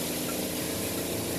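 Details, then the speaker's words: Zeny portable washing machine spinning after the load (bedsheet) was rebalanced following a brief knock: smooth, even whir of the drum turning freely at speed with no knocking or thumping; normal spin cycle. "that's the way it should sound I'm gonna give it three minutes and see"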